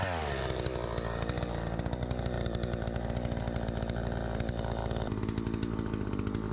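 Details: Troy-Bilt 20" two-stroke chainsaw after carburetor adjustment, cutting wood: it screams crisp and steady at high revs, dipping smoothly as it bites without bogging; the owner thinks a bit more RPM is still available.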